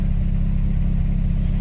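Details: K20-swapped Honda Jazz/Fit idling through a heat cycle after a running issue was resolved, gauge reading about 50°C and ECU about 65°C: smooth, deep, even idle rumble with a steady beat, no misses or knocks; healthy idle.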